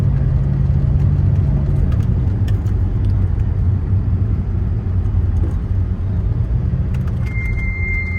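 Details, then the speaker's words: Ferrari Testarossa on a drive: low engine rumble while rolling, then a steady high-pitched squeal as the brakes come on, from the uprated Brembo brakes, which are described as obnoxiously noisy. "Squeaky brakes. It's got the uprated Brempos on it. I don't know much about them, but I know they're really noisy. Kind of obnoxiously noisy."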